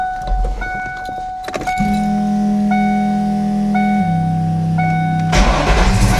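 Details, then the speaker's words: 1992 Ford Mustang LX, 434 stroker V8 with MSD ignition, crank test after replacing a faulty new red top battery with a Motomaster Eliminator: strong, even cranking under a steady chime, then it catches and runs; low-voltage cutoff problem fixed. "All right, well, with that new battery in, that fixes our problem."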